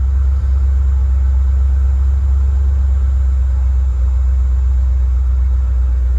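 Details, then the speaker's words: 1988–1993 Ford Mustang V8 on drive test with a rebuilt A3M1 mass airflow computer: deep steady idle rumble with no stumbles, shakes or skipped beats; car not shaking, no misfire. Normal idle. "Car's not shaking real bad."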